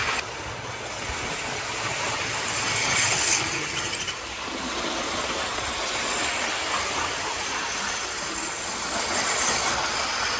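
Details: 1980s Hornby APT model train after a ringfield motor upgrade kit replaced its worn armature; a steady light whirr with even clicking of wheels over rail joints and no stumbles or labouring. Normal, smooth running.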